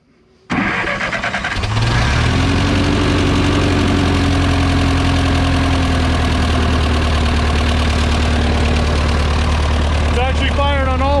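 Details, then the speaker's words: Ferguson TO20 tractor petrol engine after points-to-Pertronix electronic ignition conversion, new plug wires and matching coil, timing ballparked, throttle down: cranks briefly, catches and settles into a steady, even low idle, running much better than before. "definitely not like before and turn like a kitten oh my gosh so much better"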